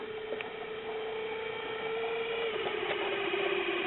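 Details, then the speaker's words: Caloric/Whirlpool stove clock motor after about 25 years: thin wavering mid-pitched whine with faint rattly ticks; owner suspects a dry bearing. "Oh I'm hoping it's just a dry bearing after 25 years of sitting here"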